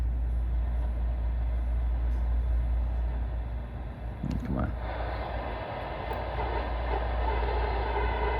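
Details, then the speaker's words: ICOM IC-7100 transceiver (also affects IC-7300), lower HF bands: steady buzzing hiss with low hum and faint whine over received audio, worse at higher volume; interference from the internal PWM audio power amplifier, fixed by replacing it with a linear amp. "again it's you turn the volume up gets worse turn the volume down it gets not so bad"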